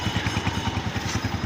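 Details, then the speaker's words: 2017 Honda CG125 single after general tuning fixed missing and engine noises (genuine air filter): even thump about eleven beats a second at idle, no tapping or misses. Healthy. "Sound सुन सकते हैं आप, बिल्कुल चुप खड़ा हुआ engine."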